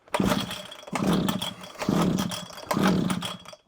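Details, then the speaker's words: Old Komatsu Zenoah Straight Shaft Pro 26 strimmer, likely early 1980s, non-starter with old fuel possibly sat a while: on choke, throttle locked, four rough pull-start bursts with brief sputtering catches that die at once; fires but won't run. "oh it fired I heard that off a throttle that"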